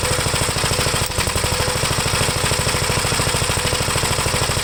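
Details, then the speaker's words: 1973 Gravely C8 single-cylinder, after the magneto was removed and the points cleaned and gapped; oil pressure is already up. Chugs at a steady, even beat of about two to three firings a second with no misses. Normal running. "try to start it up on chug it's got oil pressure already"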